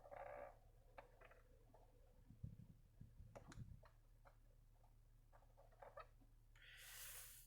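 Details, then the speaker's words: Acura TLX, recently steam-cleaned during detailing: irregular scratchy clicks and short low growls behind the dash over steady fan hum; owner suspects a failing HVAC actuator that lost its grease, not confirmed. "that sound is coming from the actuator that's bad i think that when they did the detailing since they steam cleaned the car they took some of the grease off of the actuator that's underneath the dashboard"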